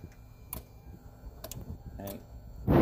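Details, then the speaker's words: 2010 Kia Soul with a replacement engine, key turned in park and neutral: a few sharp single relay clicks and no cranking, while a test light confirms the circuit to the starter is complete; failed starter motor, to be removed. "you can even hear the relay clicking so we have a bad starter so we've got to remove the starter"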